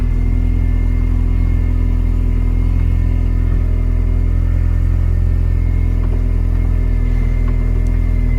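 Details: R53 Mini Cooper S race car after reinstalling power steering with new lines, first start: deep, even engine rumble with no pump whine or squeal, steering assist restored; running smoothly and healthy.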